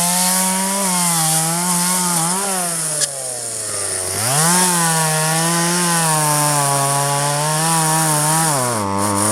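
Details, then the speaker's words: 1997 Poulan 2150 chainsaw, 23 years old, owner guesses 2.1 displacement; warm, just run; dull chain cutting box elder tops. High steady two-stroke howl bogging slightly in the cut, crisp recovery, clean idle dip between; normal chainsaw cutting. "well that's pretty good actually i could look you can definitely tell it's lighter than the other one i think if i uh sharpen the chain a little better i would be pretty happy with how it works"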